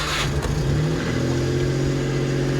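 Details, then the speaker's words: Suzuki Carry DA62T mini truck with a timing-chain, 40 cubic inch, 50 hp engine, just started: steady low hum settling to idle after a moment, no knocks or rattles; normal idle. "You can see she fired right up. Takes a second, she'll idle down. That's what she sounds like."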